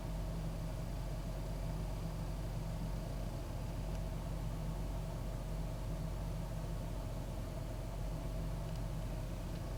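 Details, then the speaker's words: 2001 Ford Taurus idling after cleaning the idle air control valve and throttle body for a rough idle: steady, even low hum with no dips, stumbles or surging; owner will replace the valve if roughness returns. "seems like it's running better but if it starts acting rough again i just have to put a new part on there"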